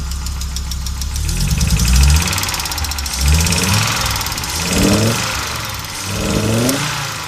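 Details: Audi Coupe after an NG-to-AAR engine swap: hard starting, many misfires, and it stalls while driving. Uneven, lumpy running with irregular low thumps and surging, no steady beat. Rough-running, misfiring engine; cause not yet found.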